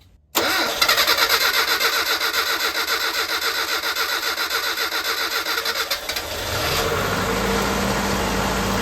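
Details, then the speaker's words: Carbureted engine transplanted from a Mitsubishi Montero into the Black Raider, first start after fuel was pumped up from the tank: about six seconds of rhythmic cranking, then catches and settles into a steady, even idle; clean start, not yet warmed up. "woohoo let's go all right this thing is running and of course it is it ran great in little blue"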